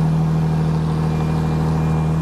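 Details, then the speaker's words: Megane 3 RS: very loud deep exhaust drone held at raised revs, smooth and even with no misfire or knock; healthy engine. "Ah ouais, ça... C'est bon. Ça envoie un peu quand même. Ah la vache."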